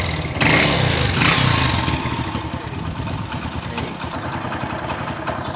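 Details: Hero Honda CD100 single-cylinder after valve clearance adjustment: putter blips up then settles to a steady idle with no top-end tapping; valves sound properly set.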